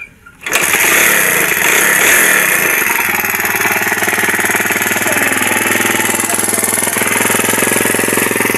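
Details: Barako motorcycle that misfired and stalled once the engine got hot, run after its regulator and spark were checked: the single-cylinder catches right away and holds a steady, even putter with no stumbling or dying out.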